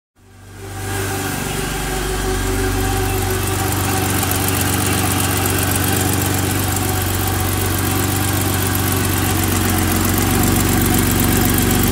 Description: Just adjusted the valves on my 1986 325e M20 engine and took this video for the forums to see whether this ticking noise is normal.